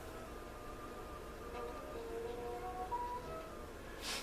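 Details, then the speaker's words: Emerson DA287 radio with its original volume control: faint music still comes through even with the control's wiper fully grounded, so signal is leaking past the volume control; the cause is suspected, not confirmed. "so with the wiper completely grounded I'm still getting sound which I shouldn't be"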